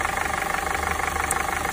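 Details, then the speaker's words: VW MK7 GTI 2.0 turbo Gen 3 engine, well maintained, at idle: fast steady ticking knock from the upper timing cover; noise disappears when the intake cam magnet is unplugged, pointing to a failing intake camshaft/cam phaser. "diagnosing this issue fortunately isn't terribly difficult but the symptoms can start with noises like this one"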